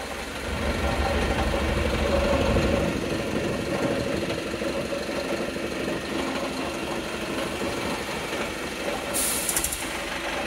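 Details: Volvo B5TL Euro 6 diesel at idle: heavy rumble with a steady knock about three times a second; strange knocking of unknown cause.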